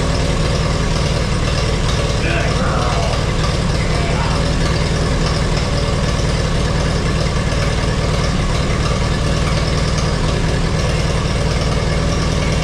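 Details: 1952 Allis Chalmers WD four-cylinder tractor, converted to 12 volt with 3 ohm coil, first start after sitting in the shed: heavy loping idle that stumbles, seemingly dropping a cylinder; owner hopes it picks up and plans a tune-up, points may need filing.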